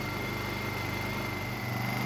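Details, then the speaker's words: Honda EU2000i inverter generator after carburetor rebuild, eco mode on, choke off, ethanol-free test fuel: steady even hum holding one speed, no sputter or hunting; governor touched and returns to correct speed. "just going to gently touch the governor to see that it bounces back in the right speed to ensure the governor's worker properly and it is"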